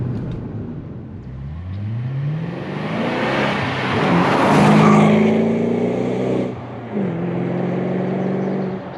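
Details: 2005 BMW 545i V8 with a cheap aftermarket muffler replacing the factory flapped muffler: revs climb smoothly and drop back with deep, even burble, no rattles, blowing or drone; normal exhaust note.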